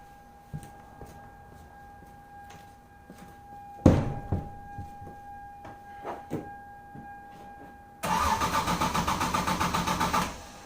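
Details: 1996 Lexus SC300 2JZ, manual W58, drift build, at about 60°F, colder than usual. A dash chime, then the starter churns in a steady pulsing rhythm for several seconds without catching: an extended crank and hard start before the fuel pump ECU bypass. Cause not confirmed.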